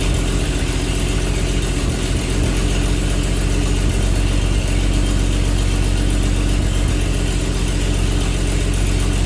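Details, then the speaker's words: 1948 Chevy truck six, first start after 30 years, diesel in oil pan, points readjusted after they stopped opening: low, steady idle with regular beat and slight unevenness; doesn't sound bad, though it then seemed to lose spark. "doesn't sound that bad"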